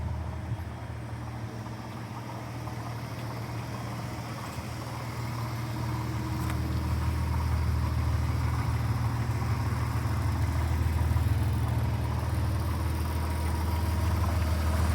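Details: Idling 1997 Porsche Boxster 2.5 petrol engine with a light, steady rattle of about three beats a second over the low hum; water pump rattle suspected, not confirmed.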